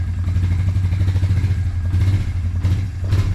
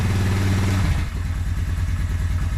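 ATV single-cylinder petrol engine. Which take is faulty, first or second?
second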